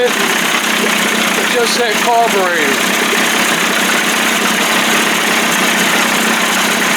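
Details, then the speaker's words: 1989 Johnson Tracker 25 hp two-stroke outboard at first start, pumping water while warming: steady, even buzz with no misses or knocks; started right up and idles normally. "man started right up sounds good"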